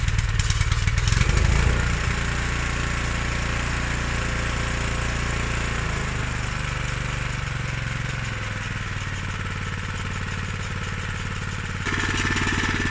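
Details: Honda GX160 engine on 1998 Honda F560 single-axle tractor after carburetor replacement (previously ran rough at low rpm and died without choke): steady, even single-cylinder putter at constant speed, no stumbling or surging; normal running.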